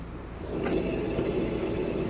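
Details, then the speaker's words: 2015 Chevrolet Equinox, right rear wheel spun by hand: steady coarse droning rumble from a bad wheel bearing, louder when turning left; left side quiet. "I just spin it that's how loud it is I don't know how well that catches on the camera but you can hear how loud that"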